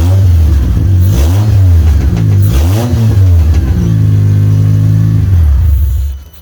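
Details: 2004 Honda Accord K24 with 6-speed manual, on a makeshift fuel setup with the fuel pump wired to power: it catches and revs up and down several times with clean, smooth pitch swings, settles, then shuts off. A healthy start, though it spat coolant.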